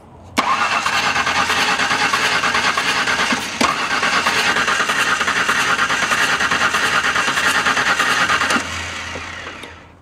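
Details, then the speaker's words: LT van, oily and filthy, suspected spark issue, an unplugged connector found: starter churns about three beats a second with an uneven, loping gallop as it tries to catch, like a cylinder not pulling; suspected, not confirmed. "I don't know if you guys heard what I heard definitely sounds like there is a Gallop in there somewhere"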